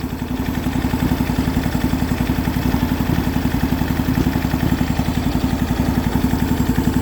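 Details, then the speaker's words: MTD Yardman twin-cylinder tractor, first start in years after a valve adjustment and new starter, on 1–2-year-old fuel, with the missing spark plug wire reconnected: an even, steady idle putter of about four pulses a second with no misses. Both cylinders fire normally. "Let's try that again. That's better."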